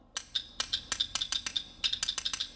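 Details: Two-wire on/off intake manifold solenoid bench-tested with ground connected and power applied: about a dozen sharp, dry clicks in under three seconds, crisp each time it is energized. Normal solenoid actuation.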